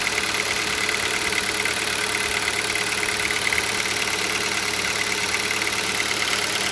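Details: Hyundai Solaris 1.6 engine knock on cold start: steady rapid tapping, about three knocks a second, over the cold idle hum; cause not yet known.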